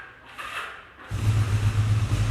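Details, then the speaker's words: Used motorcycle that has stood a long time, started cold with the clutch in: a faint starter whirr after some hesitation, then it catches and settles into a steady, deep idle. Normal start. "think it was going to go for a minute but it has been standing a long time so that's fine"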